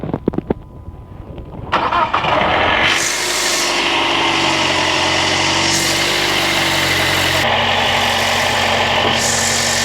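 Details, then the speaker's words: Jeep at start-up: cranks for under two seconds, catches, then rattles "like a Coke can full of rocks," a busy metallic clatter over the idle; cause unknown. "Yep. This thing rattles like a Coke can full of rocks when it starts."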